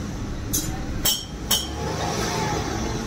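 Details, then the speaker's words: Maruti Suzuki WagonR with company-fitted CNG and check-engine light on, code P0122 throttle position sensor circuit low, after switching over to CNG: even low engine rumble under a few sharp clinks, no stumble or hunting; idles smoothly on CNG. "Engine check का light start है, गाड़ी भी start है और CNG के अंदर convert हो गए फ्रेंड्स गाड़ी हमारी।"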